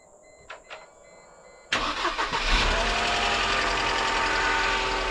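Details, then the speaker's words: 1998 Mercedes C230 (W202) sitting since 2018, old gas, worn starter; engine catches after a short crank and holds a fast, steady idle that won't drop down, high idle. "it's running it just doesn't want to idle down too good"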